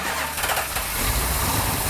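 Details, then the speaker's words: 440 six-barrel V8 with a new Comp Cams Mutha Thumper cam, first start by remote starter in neutral: loud, rough-edged burst as it fires right up and keeps running with no misses. Normal first start. "hey no way no way can't be that easy right no wow wow that started right up nice"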